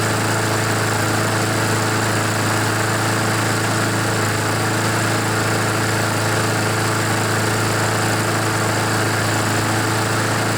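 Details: Honda GCV engine on a Poulan mower that wouldn't start, smoked and had an oil-covered air filter; still not fully warmed, needing some choke. Steady, even drone at constant speed with no misses, knocks or surging; running healthy as oil burns off.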